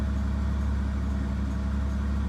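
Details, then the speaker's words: Ford Sport Trac on a cold start with the door open, transmission temperature 56 degrees: steady even low rumble with no misses or knocks; runs smoothly, normal cold idle. "still we're running running smoothly no problems for a cold start this is actually rather smooth still"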